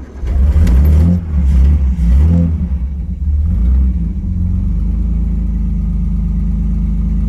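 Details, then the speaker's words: 1964 Austin-Healey 3000 MK3 BJ8, 3-litre, engine overhauled, no smoke, started from driver's seat: fuel pump ticks, quick catch, crisp throttle blips rising and falling cleanly, steady even idle, no knocks or misses; healthy. "vous avez une Hillet qui chante bien."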